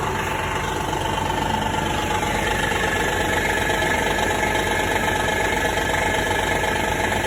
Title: 2016 Honda Odyssey engine knocking sound when cold